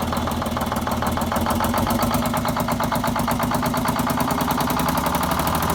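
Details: 74-year-old Greyhound bus diesel, started after fuel feed work to injectors and new start-stop box wiring, checking for leaks: settles into a steady, even clatter at idle with no misses or knocks; running fine.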